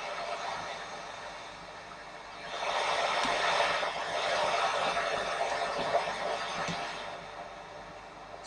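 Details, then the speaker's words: Sony ICF-2001 receiver under repair, FM band: a steady hiss swells and fades with no station coming through, only static, before the FM IF coils are adjusted. "and all we're getting is static no matter what I try to turn this into on that fender"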